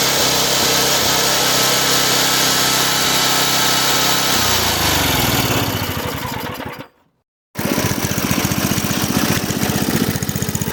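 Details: Craftsman rototiller with a Briggs & Stratton 5.5hp I/C engine, left outside in the garden with water and rust in the fuel tank; after the tank was rinsed and refueled, it runs fast and even, stops, then restarts with a steady firing beat: normal running.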